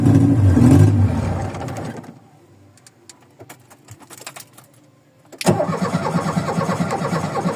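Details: VW Voyage cold start after sitting many days, worn old mechanical parts: runs roughly, fades to near silence with faint clicks, then cranks and catches again unevenly; stall and hard restart.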